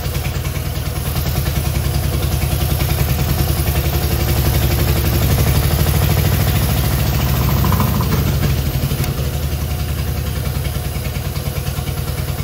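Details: Long-stored Innocenti S Spyder running from a jug because the fuel tank and line are clogged, started with choke and starter fluid: heavy, lumpy low thumping at idle that swells and sags over several seconds; a rough idle.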